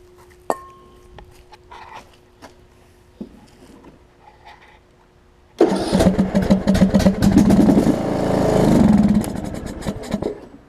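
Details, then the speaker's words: Long-sitting John Deere LA105 lawn tractor after fuel cleanout and carb cleaning. Several cranking tries, then a ragged run that surges and dies in about five seconds, running only on starter fluid. Owner suspects air or jets not picking up fuel. Fuel starvation. "okay so I know I'm getting fuel in there and I know it's just running on starter fluid at this point"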